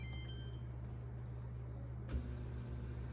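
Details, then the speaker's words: Maytag dishwasher MDB9959SKZ after replacing broken start-button UI panel (W11414079): steady even pump hum with no knocks, grinding or surging; wash cycle running normally. "and i can hear it running hard to see you can see the thing is displaying now the blue lights on i can hear it running"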